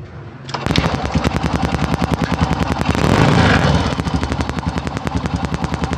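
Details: Honda Supra motorcycle with a replacement carburetor fitted after the old one's main jet passage wore and loosened, first start before any adjustment: crisp exhaust pops settle into a quick, fairly even idle; running normally.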